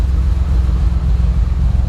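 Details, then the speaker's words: 2006 Honda Accord V6 J-series with fresh Stage 2 cams, untuned, after reconnecting a missed hose: deep, low idle with an uneven, choppy loping beat and no ticks or knocks — normal lopey cam idle. "Oh my God, listen to that loopiness. You hear that shit?"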